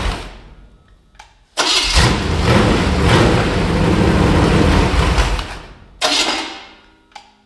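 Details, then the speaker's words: Small block Chevy V8 stored for years, first run, temperature around 118–120: cranks, catches and revs evenly with deep open-pipe roar; no rattle or lifter noise, oil pressure good. "Okay, guys. This thing sounds good. I don't hear no rattling. I don't hear no lifter noise."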